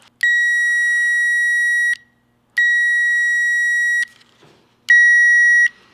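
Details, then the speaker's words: Power Probe 3 connected to a 12.6 V car battery mounted in the trunk: three steady high-pitched beeps signal power present on the circuit. The beeping can be switched on or off. "This is an audio switch, so you can turn the beeping on or off."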